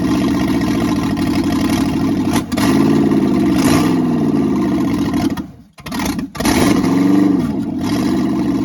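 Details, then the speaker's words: Freshly rebuilt small-block V8 first start, new cam, bearings, rings, honed standard bore, reused crank and pistons, open manifolds: bark blipping up and settling with even firing, no knocking or rattling; normal running. "I was happy uh that uh it fired up so quick and it sounds good. >> Sounds very good. I don't hear any knocking or rattling or nothing."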